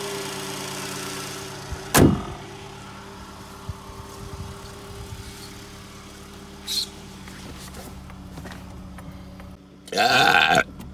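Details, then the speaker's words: 2000 Fiat Panda Young (141) engine idling on a very hot day after rebuild for worn rings and oil in combustion chamber: new rings, valve seals, oil pump, timing chain and tensioner; very quiet even hum, no ticking or chain slap, healthy. "è proprio un'altra cosa io un motore di panda così silenzioso non l'ho mai sentito"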